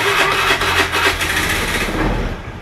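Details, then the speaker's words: Honda Scoopy FI scooter, which kept dying after hitting a pothole, catches and runs with a steady rasping note after the pulser connection was refitted; now starts normally. "nah daun untuk motornya sudah bisa hidup"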